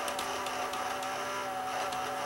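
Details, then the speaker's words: Mitsubishi HS-U760 S-VHS VCR that came in dead with a blown DC fuse: a thin, wavering motor whir with light ticking as the worn loading belt slips, unable to supply torque. It drags the motor down, blowing the fuse; the belts need replacing. "the belt is worn out and it's not able to uh it's not able to supply any torque and it's just drags it down and and causes the uh causes the fuse to blow"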